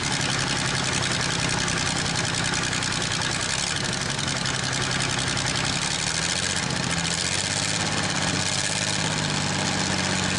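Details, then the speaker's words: Worthington truck/tractor six-cylinder first start in decades, running on all six at idle with a light rattle from a bad water pump. "Not too bad, just like the 46 Dodge pickup truck, the water pump's bad on it. I can hear it rattling some."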